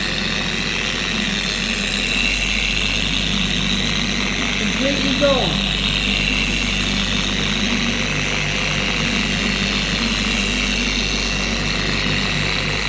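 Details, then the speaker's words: 4-year-old Carbon Collective DA random orbital polisher after regreasing the gear head with red lithium, tested at higher speed (T3): even, steady motor hum, no high-pitched scream or rattle, much quieter; normal running. "To me, the polisher is a lot more quiet. It doesn't scream anymore."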